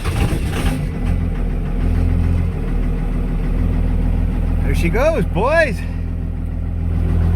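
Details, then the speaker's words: 5.9L 24-valve Cummins diesel after fixing the crank sensor ground wire that caused the no-start: just fired, rolling coal, holding a steady deep rumble with even clatter and no misfire. Normal cold start idle. "Rolling coal. Okay, so ground wire on the crank sensor the whole time. It's fixed up now, it's running."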